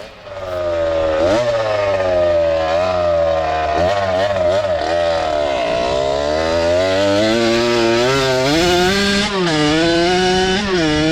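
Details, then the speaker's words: Harley-Davidson SS125 trail bike swapped to a fresh Kawasaki KX85 two-stroke on its first ride: revs rise and sag unevenly under throttle, bogging outside the power band; the riders suspect it is running out of gas. "Okay. It was such a dog when it's not in the power band."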